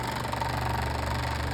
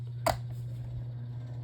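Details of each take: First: Electric fan on speed setting three with a damaged blade: steady hum with a low pulsing throb as the fan shakes and vibrates; damaged blade throwing it out of balance, blade to be replaced. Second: Black fan after replacing a damaged blade, aligned with the shaft notches, running through speeds one to three: steady low hum at an even pitch with no wobble, rattle or thump; smooth and balanced.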